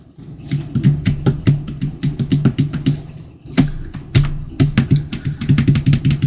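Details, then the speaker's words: Gen 1 HomePod plugged in, idle and not playing: irregular soft pops and thuds several times a second, not too severe; popping attributed to bad amplifier filter capacitors causing DC offset, checked before repair. "Okay, so it is popping. It's not too severe."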